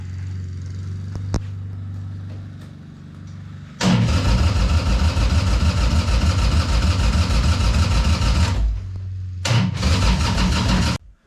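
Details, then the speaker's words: Harley-Davidson 1200 engine in a golf cart, first start attempt, with a slight fuel leak: steady starter cranking at about 200 beats a minute that never fires. Owner suspects carburetor problems; crank, no start. "It sure sounds like it wants to fire, but I'm no Harley expert."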